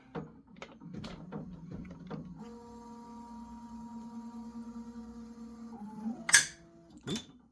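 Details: Prusa XL 3D printer after an upgrade, cooled with filament unloaded, parking tool 5: clicks and a stepper hum, then a short high squeal every time tool 5 docks or undocks.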